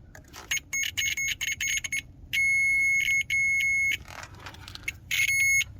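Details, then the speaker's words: Ford F350 with 7.3 IDI diesel, starting-system diagnosis: multimeter continuity test from battery negative to engine gives short chirps then a steady high beep; engine ground is good, so starter should be grounded. "So that means the engine is grounded, which means that starter should have been grounded."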